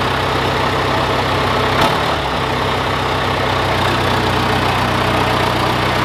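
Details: John Deere 410C backhoe diesel in winter cold: a deep, even beat with one brief bump near two seconds; runs smoothly.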